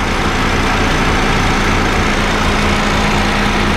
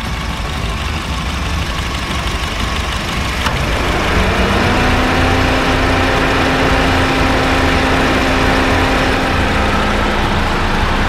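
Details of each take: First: Honda Fit GD3 idling with the A/C on: a low, uneven rumbling from the A/C compressor, with the gas charge confirmed not overfilled. The compressor is suspected to be slightly worn; treated by adding a Power Aircon additive. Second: Honda Fit GD3 idling with A/C on after a refrigerant top-up: compressor kicks in with a soft even hum, its earlier rumbling gone; likely caused by slightly low gas in the compressor.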